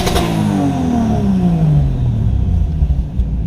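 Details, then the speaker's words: Toyota JZX100 Chaser 1JZ VVTi, G25-660 turbo, stock ECU, after finding the MAF had been unplugged: revs fall from a rev-limiter bounce and settle into a steady idle without stumbling or stalling; normal return to idle. "so just as a test here's another rev limiter bounce to drop"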